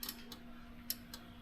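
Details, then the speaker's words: Ditch Witch 1820 trencher after an engine swap, oil pressure switch grounded: two or three sharp relay clicks and no crank. Clutch, chain-engagement and dead-man switches click relays, gauges work, but the starter never engages. "right, you hear that relay click. When I use the clutch or the chain engagement switch, the switch clicks, but we got nothing up here. Dead man switch does click a relay, but we get nothing out of the key."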